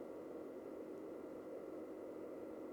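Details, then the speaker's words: Siglent SDS1104X-U digital oscilloscope: constant soft airy cooling-fan whoosh, clearly audible, no ticking or rubbing; a faint high-pitched whine may also be heard. Normal fan noise for this model. "definitely an audible fan sound. If you can hear a high-pitched whine, I'm not sure at this stage, don't worry, that's coming from that, but there is an audible fan noise from this model."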